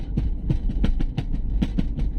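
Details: Toyota Avanza on the road, listening inside the rear door: irregular hollow knocking and rattling several times per second over low road rumble; door rattle traced to the loose central lock actuator, door then dismantled to fix it.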